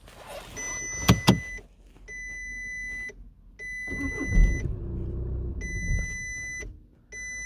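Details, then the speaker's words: 2011 Volkswagen Passat 2.0 TDI diesel, fault code P157000: chimes sound, then the engine starts and runs about two seconds before cutting out, with glow plug, steering and brake lights flashing; starts then stalls, cause unconfirmed. "so basically it will start for a couple of seconds then it will switch back off"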